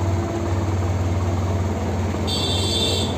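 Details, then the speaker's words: TVS Apache RTR 160 BS6 bike that stalled on throttle release, after throttle body cleaning, fuel low, choke on: idle settles from about 2,000 to 1,500 rpm and holds steady, even hum without misses, engine light off; normal idle. "Missing तो नहीं कर रही है देखो RPM आ गया day प first class bike start से engine light नहीं जल रही है आरपीएम रुका हुआ है एक ही दर प देखो"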